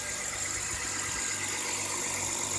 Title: 21 - 24.12.18 BMW e39 m54 cold start engine knocking or rattling